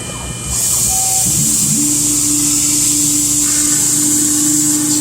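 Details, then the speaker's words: CNC milling an RMR optic cut in a Glock 21 slide with Lakeshore Carbide endmill, finishing pass of about 0.001 in per side: high spindle whine with faint hum as cutter bites, tool deflection visible, few chips; normal cutting. "You'll see the tool deflection, even in that 1,000th pass, you can just barely hear a hum."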